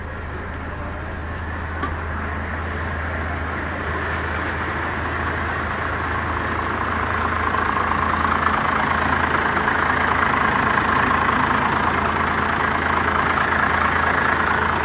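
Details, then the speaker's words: First-generation Cummins diesel, turned up until it's probably about stock; steady, even diesel clatter at idle creeping slightly in level, no misses or knocks, normal idle. "okay that's a lot better I'd say that's probably about stock right now"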